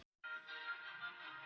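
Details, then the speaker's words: 1960 Emerson AM transistor pocket radio, chassis only, under repair after swapping in silicon transistors with no bias changes: clean classical music from the small speaker with no crackle, hum or fading, station only slightly off-tune; normal AM reception. "Okay, the classical station was just a touch off. Just a touch."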